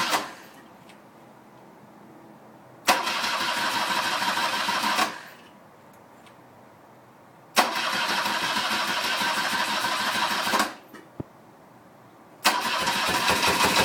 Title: R65 Rough running/misfire